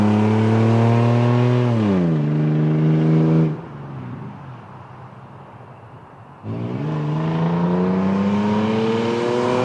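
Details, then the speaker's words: 23-year-old Toyota 4Runner, naturally aspirated V6, with the muffler removed after a deer incident: loud raspy open-exhaust drone rising and falling with revs; muffler missing. "yep so there you go guys it doesn't it doesn't sound bad I guess but it doesn't sound good either it's it's honestly pretty hard to get a decent sound out of a naturally aspirated V6 unfortunately"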